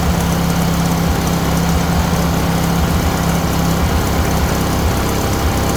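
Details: Huskee riding mower bought second-hand, battery not charged, run before the blade engagement test: steady, low single-cylinder drone with an even beat and no misses; the engine runs smoothly.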